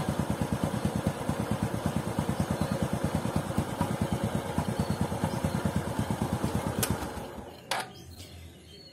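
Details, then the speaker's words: Honda Supra X 125 after shimming the clutch plates to cure tek-tek tapping from the clutch area: even single-cylinder beat about three pulses a second, no clutch tapping; smoother idle. "ganjelnya kampas gandel tadi membuat pergerakan kempas garanya terlalu tidak terlalu banyak sehingga suaranya pun jadi lebih halus"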